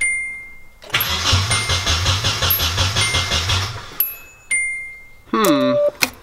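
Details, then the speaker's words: Nissan 240 being rewired, with the distributor newly hooked up: the starter spins steadily for about three seconds with even compression pulses but never fires; no fuel, because the fuel pump was never wired up. "Sounds like we might not be getting fuel. I found our problem. Uh, we are getting absolutely zero go- go juice."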